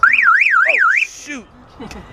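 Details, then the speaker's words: Ford Lightning pickup being built toward 1,000 hp, on a start attempt after fitting new spark plugs: loud warbling alarm siren sweeping up and down about twice a second, then chirps and cuts off; security alarm triggered. "Golly. My alarm works."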